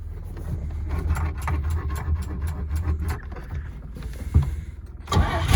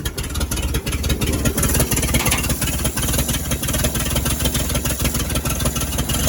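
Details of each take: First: 1938 Chevy Master Deluxe cold start using choke; starter churns steadily at about three turns a second for several seconds but the engine never catches. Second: 1938 Chevy Master Deluxe six, chilly Alaska September, on choke with rebuilt carburetor and starter from a 1942 G506: starter churns, then even, steady low idle with no knocks or stumbles; runs very well, normal idle.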